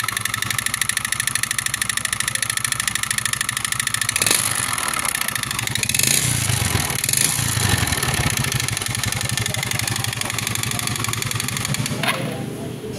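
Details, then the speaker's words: Yamaha Xeon GT 125 scooter engine idling with harsh clattery rattle on every firing pulse, growing when revved, very rough sound. "Suaranya, yep, seperti itu suaranya kasar banget ya. Dan kita akan cek apa penyebab suara kasar seperti itu,"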